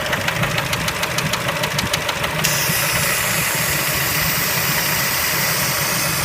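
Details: Engine knock at idle on a Kia Spectra: sharp regular ticking roughly three per second over a lumpy idle, then masked by hiss; source not pinned down.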